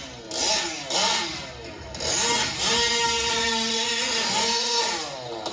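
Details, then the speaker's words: Fifth-scale RC engine with the high-speed needle set far too rich. Revs climb and fall with a wet, burbling, underwater-like blubber, most noticeable on take-off when it gets on the pipe. "you'll notice you know especially when i take off it it sounds like it's under water it's like blubbering is what i call it but you'll notice this sooner you know when it takes off that um it has kind of a blubber to it"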